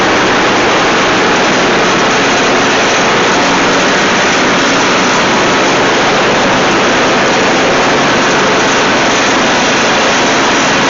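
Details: Dixon zero-turn friction-drive mower after new transaxle cones, deck spindle bearings and all new belts: steady even roar, no knocks, squeals or grinding; deck smooth and quiet, normal running.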